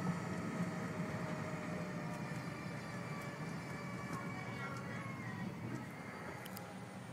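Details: 2002 Saab 9-5 Aero, manual, coasting in neutral after heavy acceleration: thin steady whine over road rumble, falling in pitch with speed, from the front driver-side wheel; unchanged by clutch or gear, gear-like; cause unknown, bearing doubted.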